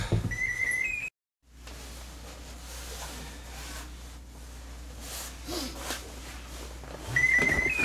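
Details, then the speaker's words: FPV radio transmitter after exposure to -40 °C, freshly charged battery fitted before going outside: short high chirps over a quiet room, low-battery warning caused by the cold. "that's what's making all that the chirping and that chirping is it saying it's got a dead battery but I'd put in a freshly charged battery just before I took it outside so that's the effect that the cold has on it"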